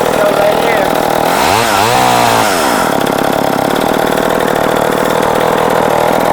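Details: Late-1960s/early-1970s Sears 3.7 cu in chainsaw, 18 in bar, standard chain, makeshift air filter; blips up sharply, drops back, then holds a strong, even high-speed buzz with clean pickup; runs healthy.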